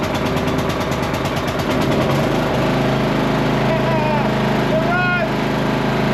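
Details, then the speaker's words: Cub Cadet lawn tractor mower, first start after new starter: slow even cranking for about two seconds before it catches and runs steady; hard start, owner suspected a fuel or spark issue. "It took a little while to kick over. Starting to get a little nervous thinking it wasn't going to start. We might have had a fuel issue or a spark issue."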